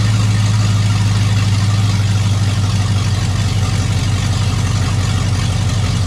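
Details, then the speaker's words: Chevrolet 5.3 V8 hot rod at idle, not revved: deep, loud, steady burble with heavy low drone; exhaust far too loud, neighbor hears it in his living room, needs serious exhaust work to quiet it. "When I idle like this, my neighbor across the street says he can hear it in his living room at an idle, not being revved up. So I got some serious exhaust work to do to quiet this baby down."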